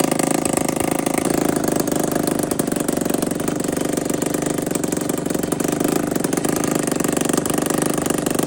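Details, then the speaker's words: Budget Suzuki RM125 two-stroke dirt bike after full rebuild: steady, fast ringing idle with a nasal, quacky duck-like edge, holding even; freshly rebuilt engine running fine. "Y'all see the man just started. It do sound like a duck is in there though."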